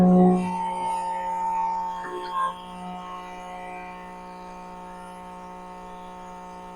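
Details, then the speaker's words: New FMCNMech diesel transfer tank pump recirculating diesel back into the tank: steady, even electric hum at constant pitch with no surging or stuttering; pump running normally with good constant flow. "Just to make sure it's got a good constant flow rate. So we're just going to pump it right back into itself. So it's humming along now."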